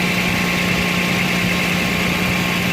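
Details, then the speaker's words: 2009 Toyota Land Cruiser GXR 1GR V6, puffing on the left side of the engine at idle: steady low hum with a breathy hiss; owner unsure whether the leak is at the exhaust manifold face or lower down. "فراح اشغل الموتر حتى تكون الصوره واضحه في صوت تفتفه من هنا او من اسفل اسفل المصاري انا من وجه القزوز"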